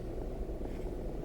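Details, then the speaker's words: Car at idle with stereo played loud through aux, after fitting a ground loop isolator. Soft, even engine rumble with no whine, hum or buzz through the speakers. Normal car stereo, feedback noise gone. "So you can see I had it on pretty loud, and that feedback noise is completely gone."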